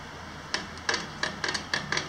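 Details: Bob Ibex bicycle trailer with 750 km, used 7-8 days: sharp, dry squeak about seven times in two seconds, once with each push on the suspension; owner wonders if lubrication is needed or screws too tight.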